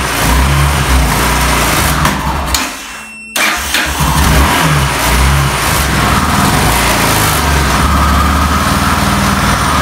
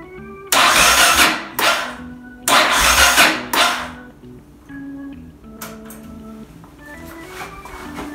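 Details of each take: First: Yamaha XT600E 600 cc single with a flat battery, started in winter with the Autowit SuperCap2 Lite jump starter and choke pulled: cranks, catches cleanly, settles into steady thumping idle and revs smoothly. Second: Yamaha XT600E 600cc single with a flat battery in winter, on a supercapacitor jump starter without choke: several short labouring cranking bursts over music, never catching.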